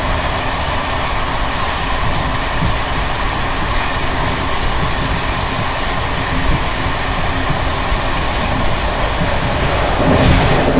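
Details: Bd264 481 coach (built 1979), Görlitz V bogies with high mileage since last major overhaul, uneven line 190 Hluboká nad Vltavou–Číčenice; loud constant clattering rattle over irregular rail-joint clicks from bouncing brake rigging.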